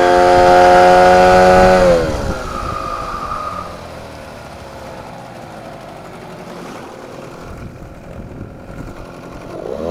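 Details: Sharp steady whistle from a 9.8 outboard motor at revs, sagging and fading as throttle drops; the owner calls it a brake whistle, squeal under load, cause not identified.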